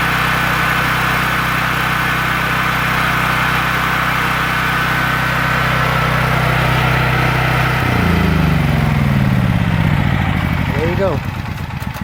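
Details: Honda generator engine possibly left unused for a couple of years, started without choke: it runs smooth and even at steady speed, then the pitch shifts cleanly as the governor settles. Sounds healthy.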